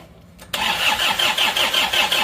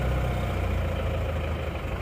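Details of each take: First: Isuzu Panther diesel, first start right after reassembly following a broken crankshaft: it catches at once, then idles with a hard, sharp clatter about three times a second. The injection pump is still at full advance and the regulating valve is set too deep, so the knock comes from over-advanced injection timing. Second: Isuzu Panther 2.5 diesel after a broken shaft, with a non-original timing gear one and a half teeth off, now advanced: it starts immediately and idles cold with steady, even clatter, no knocks. Normal diesel idle.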